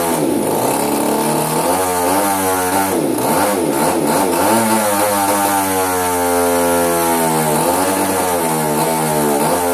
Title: Hobbyking RCGF 30 twin misfiring: faulty ignition